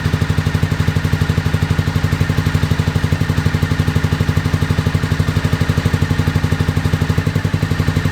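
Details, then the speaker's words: 2001 Honda VFR Interceptor (Gen 5) V4 with White Bros slip-on, barn-stored nearly a decade; lumpy, heavy chuff about four times a second, dropping cylinders; runs only at half to near full throttle, 1,800–2,000 rpm; owner suspects mouse-nest exhaust blockage, FI light on; unconfirmed. "so it'll only start and run at about half to close to Full Throttle not quite but close to Full Throttle and it'll only get up to 1,800 to 2,000 RPM"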